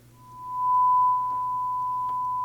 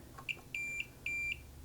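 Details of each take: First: Marantz 2245 receiver bought for parts/repair, after cleaning with contact cleaner: single steady clear tone on left then right channel with no crackle or dropout; sounds much better, though right channel still quiet on FM afterward. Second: Marantz 2245 receiver, multimeter diode test on the bridge rectifier after an odd positive filter capacitor reading: quick chirp then two steady high beeps showing continuity; shorted bridge rectifier on the positive rail.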